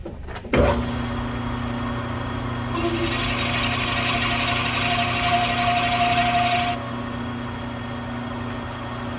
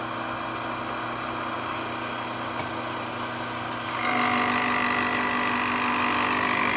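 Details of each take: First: Manual lathe cutting radius in reverse on Harley-Davidson FLH belt-drive pulley: steady mid-pitched ring rises over the cutting hiss; tool chatter from spindle speed too fast. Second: Manual lathe boring and facing a Harley-Davidson FLH belt-drive pulley at a 0.009 in feed with an insert tool: an even hissing cut that grows louder as it bites, with no squeal or chatter. Smooth turning cut, insert performing well.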